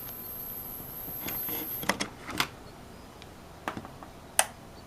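A thin, steady, very high-pitched whine from a router, then stops amid clicks and handling taps.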